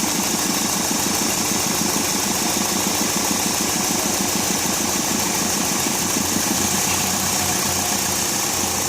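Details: 2001 Hyundai Accent idling lumpily at about three uneven pulses a second, a misfire the customer's mechanic blamed on the injectors. All four injectors test in good working order.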